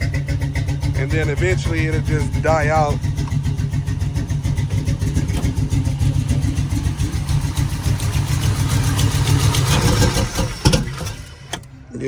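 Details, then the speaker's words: LS-swapped G-body El Camino with a 5.3 V8, 243 heads and LS6 intake. Sprayed with starting fluid, it catches and runs roughly for several seconds, then stumbles and dies, confirming a dead fuel pump. "For those of you that's gonna say it's not the fuel pump, I got some piss right here. I'm gonna spray underneath here."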